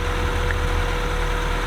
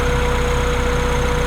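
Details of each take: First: Acura Integra with swapped B20B engine, first start after fresh oil, transmission fluid, spark plugs, valve cover gasket and set ignition timing; steady, even low rumble at idle, smooth with no knocks, misses or hunting, source of a noise unknown: normal idle. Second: Integra with budget B20B engine swap, first start-up, running a while: a steady idle with a slightly uneven, lumpy beat under the hum, a little rough because timing is off and improving as it runs.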